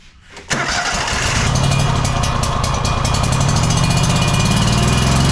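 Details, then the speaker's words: Exmark 52" Pioneer S zero-turn, Kohler KT720 engine, running rough and bogging under load: rough uneven chug like a cylinder dropping out; spark test shows weak, light spark, pointing to a faulty ignition coil. "so I do think this is still the same issue that I'm thinking it is we're having an issue with the ignition coil"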